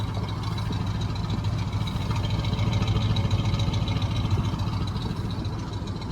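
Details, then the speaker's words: Old Chevy squarebody plow truck V8, started after about 20 years: steady, even low idle rumble with no missing; forged pistons give some cold piston-slap rattle that should quiet once warm. "but man listen to that thing [Music] idle doesn't even sound like it's missing really no idle nice"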